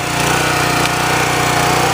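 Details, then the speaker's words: Generac petrol pressure washer with the throttle at max power, showing how it runs in excellent shape. A loud, steady full-throttle drone with the pump pulsing evenly and no surging or misfire; normal. "So we'll go ahead and try to do that right now, and we'll show you how the machine should function when it's running in excellent shape."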